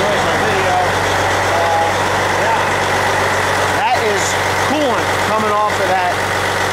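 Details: Diesel truck after water pump replacement, idling while warming up before coolant level check; smoke is coolant and likely oil burning off the exhaust manifold. Steady, smooth low rumble with no misses or knocks; healthy idle.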